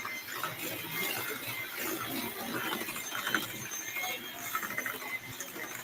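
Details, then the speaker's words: Kitchen mixer mashing potatoes; irregular clicking rattle and grinding chatter over light motor hum, owner unsure why and says it sounds like it was dropped; internal catching, cause unknown. "I don't know why my mixer sounds like this, y'all. This is something I always tell my mom."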